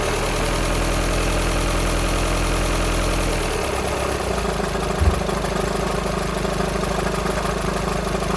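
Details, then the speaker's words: VW Sharan 2.0 TDI common-rail CFFB, cold start after timing belt and injector work without bleeding: loose, uneven rattle over the diesel clatter at idle, suspected bad tensioner pulley, not engine; possible diesel leak at injector 4. "So I think the noise at low idle, or at idle, is that tensioner pulley rattling. I don't think it's anything to do with the engine."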